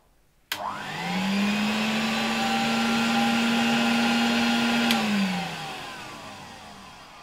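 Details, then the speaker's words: 1966 Alfa K2 vacuum cleaner with an SK-5b motor, after oiling its bearings: a clean rise to a steady even whine, then a smooth run-down. The earlier rattle in the suction system is gone, and the motor runs quieter and healthy. "Wydaje mi się, że dopiero teraz ten odkurzacz działa jak należy i dopiero teraz jestem z niego tak naprawdę zadowolony."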